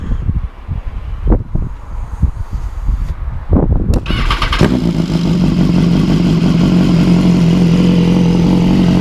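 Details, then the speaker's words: BMW S1000R fitted with S1000RR exhaust headers, recorded outside at first start after install, now loud but not obnoxious: clicks, then the inline-four fires and settles into a steady, even idle with a smooth drone; normal idle. "the bike is now pretty loud it's not obnoxiously loud but it's loud so let's see if we can start her up"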